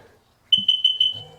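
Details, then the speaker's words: 2005 Sea-Doo 3D 787 RFI that stalls at idle, tether on to wake the ECU: four short high-pitched beeps then a fainter tone. MAP sensor reading 3.8 psi is suspected faulty; with it unplugged the ECU is believed to default to 6 psi. "Put the tether on to wake up the computer. And now we got to listen to it beep."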